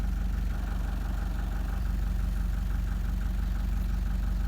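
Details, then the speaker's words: Toyota Prado 1KD-FTV diesel idling with an uneven, lumpy beat of about three pulses a second, like a misfire; badly worn Denso injectors are the cause. "well it's like a misfire and you can just hear it like that is totally flogged right that's really bad"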